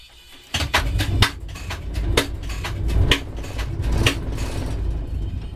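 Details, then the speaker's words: DR1B-3702 diesel train engine, start attempted: uneven heavy thumps about once a second as it turns over but never catches; engine fails to start, cause not yet known. "Ei lähe raisk. Ei lähe."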